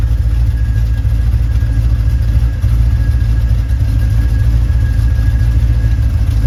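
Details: ZZ6 crate V8 after carburetor tuning for performance, drivability and hard starting; deep, steady rumble with an even beat, no stumble or popping: normal running.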